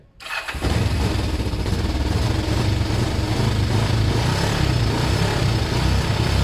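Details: Kawasaki ER5 twin after wire cleaning, new fuel hoses and carb clean, started on a borrowed battery: cranks briefly, catches within half a second and settles into a steady, even idle with no misses.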